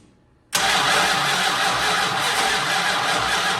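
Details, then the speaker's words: 1968 Dodge Monaco 500, rebuilt 440 Magnum V8 after 36 years: cranks steadily but never catches; no spark because both 12 V and half-power sides of original fender-mounted ballast resistor were unhooked. "okay so what we found was over there on the side of the fender there's the original ballast resistor one side has 12 volts one has about half power the half power slide wasn't hooked up and neither was the 12 volt"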